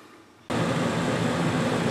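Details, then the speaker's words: Coachmen Wyoming 5th-wheel rear rooftop A/C after taping off the intake recirculation, for excess condensation and weak flow: after switch-on a strong, steady rush of air with no rattles or surging; airflow fixed. "turned on now look at this airplay still good flow but not want to rip out of my hands"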